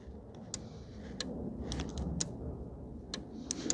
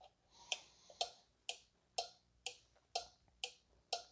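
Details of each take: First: 2014 VW Tiguan 2.0 TSI, ignition off, quiet car: a relay clicks on and off several times a second, drawing about 2.4–2.5 A and draining the battery; relay to be removed to confirm. Parasitic drain. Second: 2014 VW Tiguan 2.0 TSI being checked for a parasitic battery drain: a four-pin relay (part 7M951253A) on a relay tester that applies a 7 A load, powered from a separate battery. Crisp, even clicks about once a second as it pulls in and drops out; it switches cleanly.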